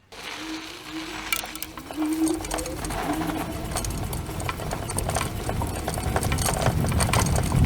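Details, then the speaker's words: Cunfon RZ1000 dual-motor electric scooter while riding, microphone near the deck: loose irregular clatter over road rumble, coming and going with bumps; rider suspects front mudguard/fender, not suspension, as tightening suspension didn't help. "Well, I think that the sound is coming not from the suspension, but from actually the front mudguard or fender. I tried tightening the suspension up and see if that made any difference, and it didn't. So there is some little annoying rattling."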